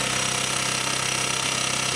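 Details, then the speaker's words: 125cc four-stroke single, 7621 km, top end rebuilt, after adjusting valve clearance: starts, crisp even idle with no more valve clatter from the top end; runs very well. "C'est parfait. C'est qu'on est bon, vraiment très bon. Ah, je suis pas tout seul dans ma tête. Vous l'aurez remarqué. Ça tourne pas mal du tout."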